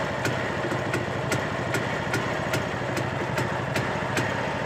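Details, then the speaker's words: Yezdi Deluxe vintage two-stroke motorcycle (CL2/D250-type engine) at idle; exhaust, point setting, carburetor tuning and timing are fine, with no piston slap. Sharp knock about 2.5 times a second points to worn crankshaft main bearings. "That means the main bearing, that is the crankshaft bearings, has been gone."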